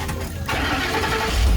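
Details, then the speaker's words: Coyote V8 swap with 6R80 transmission into a 90s Ford F150, about 88,000 miles on the engine: quick crank, catches cleanly and settles into a deep, smooth, even idle; sounds healthy. "sounds really good what we got here is a we got ourselves a coyote engine with a 6r80 transmission behind it"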